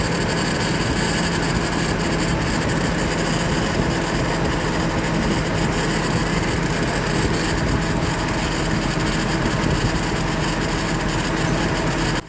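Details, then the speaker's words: 2004 GMC Envoy, 4.2 inline six, started after replacing the power steering pump whose impeller shaft broke in half. Steady, even running with no whine, groan or knock, then a clean shut-off; power steering works again. "we're in good shape hope working fine the power steering is back working"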